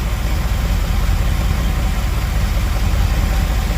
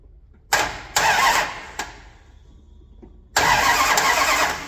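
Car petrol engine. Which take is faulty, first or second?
second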